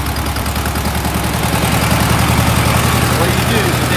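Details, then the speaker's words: VW Beetle started: a rough, lumpy idle with the engine shaking, which surges when carb cleaner is sprayed on the intake. One intake manifold boot was leaking air and is to be tightened. "Now, as you can hear, the car is running rough. Look at it shaking. That's bad"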